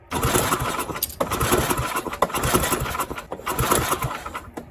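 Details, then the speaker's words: Tecumseh Snow King snowblower stored all summer with fuel and oil drained: uneven pulling and sputtering as a few firings catch briefly then fade; it fires for a second and dies, owner suspects a bad spark plug. "Think we got a bomb spark plug. Did fire for a second there."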